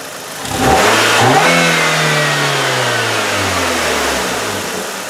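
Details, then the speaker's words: Engine loaded up to reproduce its twisting: a thud as it takes torque, then revs falling away, matching the owner's clunk under load; a motor mount is suspected, not confirmed. "Okay, what I'm going to do, I'm going to try and load up this engine and uh replicate the the engine twisting like it does."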